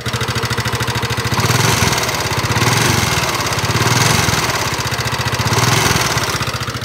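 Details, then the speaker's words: Yamaha NMAX scooter at idle, running rough some time after the piston and cylinder block were replaced: coarse, uneven clatter at three to four beats a second, swelling and fading. Mechanic suspects two problems. Rough engine noise. "selang waktu beberapa lama setelah perbaikan motor nmax ini suaranya kasar seperti itu teman-teman"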